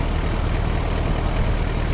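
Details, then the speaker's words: Kubota Saturn X-20 mini tractor, four-cylinder diesel, 955 engine hours, in excellent condition: an even, low diesel rumble with a steady beat and no knocks, misses or rattles. The engine runs enviably well. "Состояние просто отличное. Мотор работает завидно хорошо."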